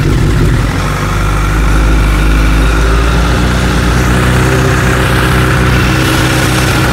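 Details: Honda CBR1000RR after its gear set was replaced with a second-hand one because of a broken 3rd-gear tooth blamed on quickshifter use, checked for engine knock: steady, even idle with a smooth low beat and no knocking; running clean.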